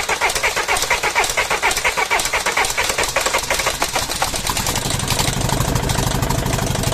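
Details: Mercedes OM611 diesel from a W638, first start after replacing bad injectors: sharp regular clatter over the engine as it catches and settles to idle; one injector is still bad but stuck too hard to remove, still knocking.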